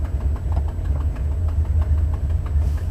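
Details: Buick 455 Stage-1 Regal T V8 at idle, windows partly down: sharp tick about three per second over rumble from broken 11-year-old header gasket at #7 header flange; worse after broken piece removed; new gasket planned.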